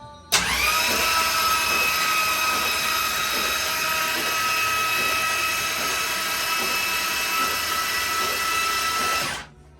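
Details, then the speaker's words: 500ci big block Mopar in a 1969 Barracuda, plugs removed, cranking to prime and build oil pressure before first start: steady starter whine with slow compression pulses about three per second. Slow cranking. "You got oil pressure? It doesn't, it's not cranking very fast."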